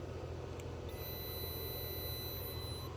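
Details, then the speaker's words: DeWalt 1400 amp jump box with its piezo buzzer deliberately destroyed: a thin, quiet, high-pitched beep about two seconds long, much softer than the original loud beep. "oh that's much more pleasant it actually still beeps but not very loud"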